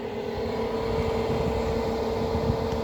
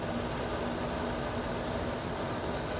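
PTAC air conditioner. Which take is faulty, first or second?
first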